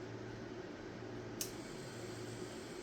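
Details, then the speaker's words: New Wormhole rotary tattoo pen loaded with a cartridge and run at about 4.5–8 volts, with the needle sticking out a lot. A steady, fine buzzing hum with a rough, grainy edge; it is very noisy and vibrates a lot compared with the other pens. "The needle's sticking out a lot. It's really noisy. It's noisy and it kind of vibrates a lot."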